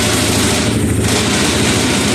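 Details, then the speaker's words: Hawk 250 small single, running on a table just after a valve adjustment (the valves had been super tight): it now starts right up and runs steady with a crisp, regular exhaust beat and no misses or stumbles. It sounds healthy. "But it starts right up now. The valve adjustment made a huge difference, at least in getting it started."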